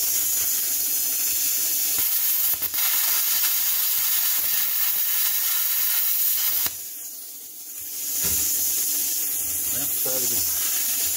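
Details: Hynade PLC-50DP budget pilot-arc plasma cutter, after air was turned back on: steady hard hiss of arc and air cutting cleanly, then softer post-flow air (set about eight seconds, adjustable 2–20 s); working properly.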